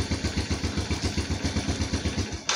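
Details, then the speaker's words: Old Yamaha Vega R single cylinder, cutting out while riding: even chuffing at about seven beats a second, then a sharp burst and it dies at once when the ignition switch wire is connected; faulty ignition switch grounding the kill circuit. "ketika kita colok dia mati teman-teman ya ketika kita lepas dia mau nyala seperti itu Nah ini ketika dicolok dia langsung mati nah Berarti masalah ada di kunci kotaknya teman-teman"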